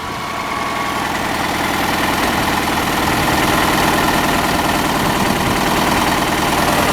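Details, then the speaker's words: 1985 Chevy Cavalier CS station wagon at first start after sitting: lumpy, uneven idle with a stumbling beat about four times a second that never settles, engine visibly shaking; cylinder misfire. "You can hear that misfire. Oh yeah. You can't really see it, but that thing's shaking."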